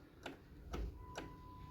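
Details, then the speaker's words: Small two-stroke motorized bike engine, disassembled: the connecting rod is rocked sideways, giving three sharp metallic clicks from excessive side play; the rod is also loose up and down, scored, and condemned. "Aí essa folga lateral tem folga lateral que é normal, mas essa aqui já tá meio que exagerada. Tá dando bem folga, ó."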